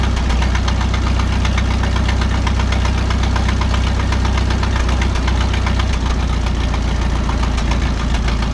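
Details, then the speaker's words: 1951 Farmall M tractor with carburetor mixture set about one and a half turns out, briefly warmed: steady low drone, hesitation and sputter fixed, but a faint intermittent knock comes and goes, source unknown. "well I think I fixed the hesitation and sputtering issue but now I'm hearing an intermittent knock from the engine that I had not noticed before it doesn't do it all the time it only does it sometimes"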